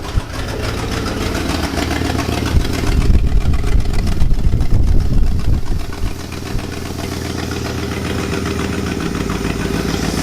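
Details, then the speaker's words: 1966 Lincoln Continental V8 after long storage, cold lumpy idle just after first start: faint rapid puffing tick about two a second over the rumble from an exhaust leak up front. "Smoke coming out of the tailpipes though, that's good. There is an exhaust leak up front."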